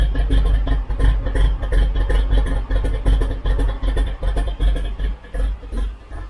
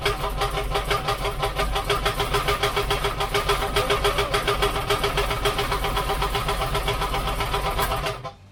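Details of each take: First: 1972 Chevrolet C10 shop truck V8 after removing a rubbing piece, timing being set with EFI tuner, warming toward 170°F coolant: deep lumpy rumble settling into steady healthy idle. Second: 1972 Chevrolet C10 shop truck V8, first start after rewiring, just fired: fast uneven metallic chatter over exhaust, first thought an exhaust leak; flexplate rubbing on the inspection cover.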